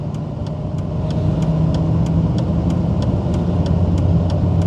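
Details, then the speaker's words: VR5-engined car in first gear with front brakes stuck on: low, heavy engine drone swells with throttle but the car barely pulls, light ticking; engine is fine but labouring against seized brakes. "so the engine is fine but the brakes are stuck on this is junk dealing 101 here"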